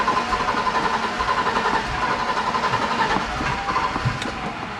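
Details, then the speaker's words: 1987 BMW 325i E30, sat after paint job, fresh fuel, fuel pressure almost 40: steady cranking about four beats a second with occasional stronger puff, no catch; crank no start, low fuel level suspected, later runs. "It's trying to. It's the fuel level. Empty? We gotta put more."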